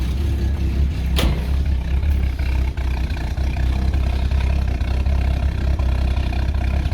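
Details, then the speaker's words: Ex-VicPol Ford XG divisional van just restarted after the cleaned catalytic converter was refitted with the oxygen sensor back in. A low, steady idle with one sharp click early on settles quiet and even with no rattle: "nice and quiet". Normal idle. "Ooh. Nice and quiet. Let's give it a bit of a rev. Much more quieter."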